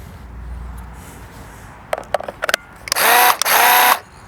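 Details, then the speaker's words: Graco TC Pro paint sprayer: a few handling clicks, then a second of steady, even pump-motor buzzing with one brief stop; sounds healthy, normal operation. "sounds pretty good. So we'll give this thing a shot."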